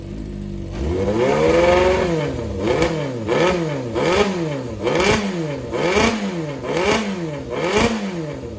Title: ｛4HM｝ XJR400 実動エンジンASSY 異音白煙無し 始動確認動画有り 絶好調 圧縮測定済み XJR400R XJR400S XJ400 初期型